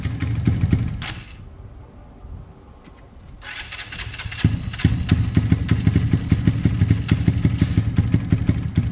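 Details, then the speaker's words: Kawasaki KSR GRS 125 single-cylinder, start attempt with airbox off, after fitting new spark plug; catches after short stumble and settles into steady, even idle putter; sounds healthy. "that's sounded pretty good to me let's get this air box on"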